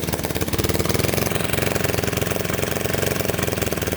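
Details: Lawnmower engine that sat at least five years, carburetor replaced, fresh oil and fuel: lumpy uneven idle pulse about two beats a second, loping inconsistent firing; rough idle, cause not pinned down.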